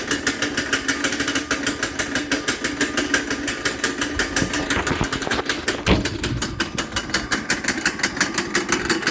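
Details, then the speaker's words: Kid-sized go-kart with Honda engine, completely cold start with choke on: rough, uneven popping run that keeps sagging as if about to die; choke to be taken off; has some trouble idling. "that was a completely cold start starting to die a little bit but we can take the choke off maybe that's better"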